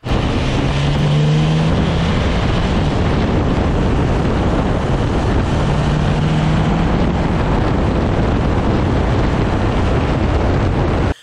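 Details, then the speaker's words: 2014 Ford Explorer Police Interceptor, about 130,000 miles, after replacing a worn CV axle whose inner joint caused driveline shudder, plus the transaxle seal: accelerating at 30–40 mph gives a steady road and engine drone with no shudder or rhythmic thumping. "Same thing, 30, 40 miles an hour. You're accelerating and nothing."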